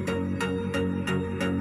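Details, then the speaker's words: Polytron active speaker, left channel, after repair: music plays clear with a steady plucked beat and no hoarse rasp or crackle. It had turned hoarse after a few minutes, with a blinking-then-dead indicator and "breathing"; the technician suspects loose solder. "Nah, jadi prediksi untuk urusan seperti itu ini udah oke ya, udah speakernya sepertinya udah oke, sudah tidak serak lagi."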